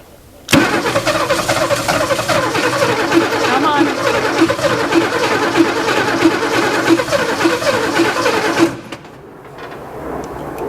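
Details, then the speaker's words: Abandoned 1961 Ford Falcon on a brand-new battery: the starter turns the engine over slowly and evenly, about three strokes a second, for eight seconds without catching. Cranking sounds weak, as if the battery is starting to die. "sounds like the battery starting to die well it's going to be a little bit weak but that's a brand new battery"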